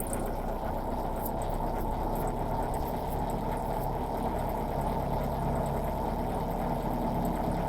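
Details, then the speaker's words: Nissan Sentra B14 at idle with the vacuum hose to the throttle body pulled off (knocked loose by a cat): uneven, stumbling idle with low chugging beat that never settles; misfire from the vacuum leak, fixed by reconnecting the hose. "Yan ung hose papunta doon sa throttle body yata yan. So nahuhugot to. Nahugot siya men. Ayan pumapalya na siya."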